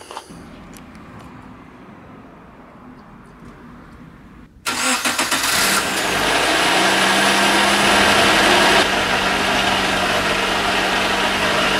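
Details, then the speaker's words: 1994 Nissan 100NX after water pump replacement and coolant refill: engine starts and idles with a steady whirring hiss from the clutch release bearing, not the water pump; runs well without overheating. "Ce qui fait le bruit là, c'est pas la pompe à eau, hein, je vous rassure, c'est la butée d'embrayage."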